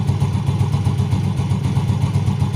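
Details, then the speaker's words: Yamaha Vega R New in first gear, rear wheel spinning with brake applied, after replacing the worn one-way clutch set and a loose rubber part: the earlier grinding "wer-wer" from the clutch housing is gone, and it runs smooth and even. "dengarkan untuk suara werwernya di bagian bak kopling sudah hilang dan suaranya halus ya"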